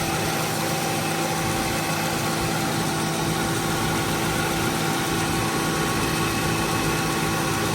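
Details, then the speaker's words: 2015 Subaru Forester at idle with A/C running after faulty relay replaced, clutch adjusted and some Freon added, low-side pressure still low: steady compressor hum and fan whoosh, no knocks or squeals; cooling better than usual; normal A/C operation. "But, uh, I fixed it and it's working and the temperature is it's better than usual."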